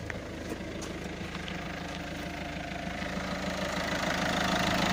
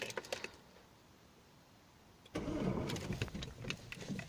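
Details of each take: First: Citroën C5 1.6 HDi 110 diesel at 190,000 km, after the tappets and both camshafts were replaced with used ones to cure an idle ticking. Steady, even idle clatter with no extra tick: normal idle. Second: Citroën C5 1.6 HDi 110 diesel: at start-up engine catches with brief rough metallic rattle before settling; recurring start-up noise for weeks, cause not confirmed.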